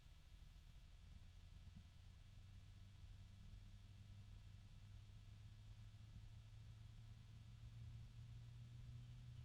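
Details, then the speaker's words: Ocypus Gamma F120 PWM ARGB case fan running slowly on low: quiet, steady low hum holding one deep pitch; fan motor hum. "And this is moving pretty slowly. We've got it on low right now. There's a low hum coming from it too."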